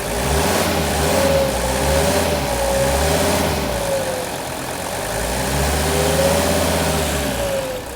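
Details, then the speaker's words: Mercedes W116 300SD diesel, sat 8 years, during diesel purge through injectors: clatter settles to even idle, climbs smoothly through two rev blips and returns with no misses; smoother and quieter than before purge. "also I want you to listen to the engine maybe you can notice how much smoother and how much quieter it's not a big difference cuz this is a pretty good engine to begin with but listen to the difference and the acceleration"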